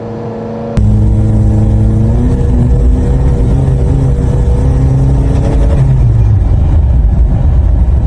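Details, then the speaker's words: 2014 Honda Accord on test drive after position sensor replacement and code clearing: engine note jumps up then wavers and sags, irregular high revving with bogging; owner suspects a bad catalytic converter, earlier code P0420. "As soon as I pulled up here, it started high revving again. But I have another idea. It started to like bog down."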